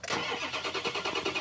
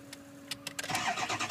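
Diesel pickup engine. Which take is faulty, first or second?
first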